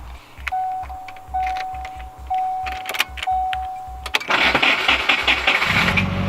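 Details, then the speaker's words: Subaru WRX project car, reluctant to start earlier, possibly with a fitted alarm; chime beeps over uneven, hesitant cranking, then the engine catches after about four seconds; starter motor sounds bad, an issue suspected, not confirmed. "there might be some sort of issue the starter motor definitely doesn't sound good and I didn't really want to start to earlier"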